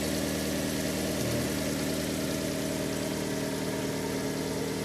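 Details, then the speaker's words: Fiat Albea petrol engine after repair idles smoothly with no knock; the cold-start knocking was caused by a loose exhaust manifold, two end studs loose and one lower stud missing, fixed by tightening. "все дело подтянул затянул и сейчас [музыка] не слышу если работает приятно"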